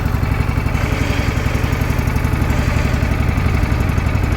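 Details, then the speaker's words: Toro TimeCutter 42-inch zero-turn mower, driven slowly in reverse: even, quick firing pulses at a steady rate with no misses or knocks; engine running healthy, normal running. "I'm going slow so you can hear me but it works perfectly fine"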